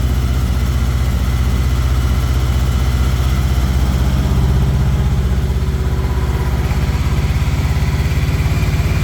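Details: Honda VFR800 cold start after sitting a while, recorded in light rain: even, steady low V4 burble at cold idle, no misses or knocks; normal healthy cold idle.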